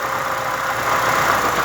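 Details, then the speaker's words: 2005 Nissan Sentra 1.8 with a misfire and code P0304, idling with one ignition coil disconnected at a time: idle drops into a lumpier, uneven beat, showing that cylinder contributes, while cylinders 4 and 1 seem weak; idle change with coil disconnected. "bueno si fallas está contribuyendo un poco pero no tanto este falla más este extraño estos dos están extraños"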